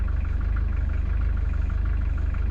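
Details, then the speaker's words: First start of a new Beta Marine 50hp inboard diesel (fresh coolant, 15W40 oil, ATX oil in the reverser): steady, evenly spaced thump at idle, quieter than expected, slight hull tremble, no knocks or misses. "go là on est comme en navigation bon on l'entend forcément mais non c'est pas le délire après peut-être en mer quand on met un peu la patate mais je m'attendais à quelque chose de beaucoup plus bruillant que ça"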